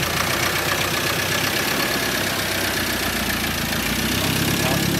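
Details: 2013 Ford Ranger 2.2 TDCi after fitting a new recon (reconditioned) engine: steady, even diesel idle with a smooth clatter, no knocks, misses or hunting, no leaks found; the engine sounds healthy.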